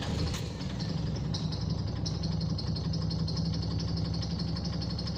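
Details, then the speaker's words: 2009 Nissan Navara diesel at idle: low, lumpy, uneven beat with heavy shaking, like a cylinder missing; losing power, no check engine light, scan shows a cylinder problem; faulty injectors suspected; rough idle. "so it looks like I'm getting a cylinder Midtown on all sorry for the shaking up this is the vehicle doing that not me right"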